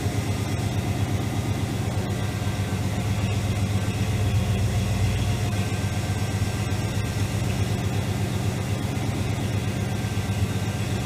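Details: AMC 401 V8 in a Jeep YJ with headers, after heat-soak and oil pan leak work: idle with oil pressure at 60 and 14.4 volts charging, fresh header paint smoking; smooth, even burble, no knocks or ticks, healthy.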